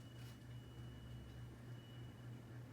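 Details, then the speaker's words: Encon Petite fan with an oversized motor hums low and steady with a thin high whine on top; bearing noise clearly audible. "you can definitely hear the bearing noise on it"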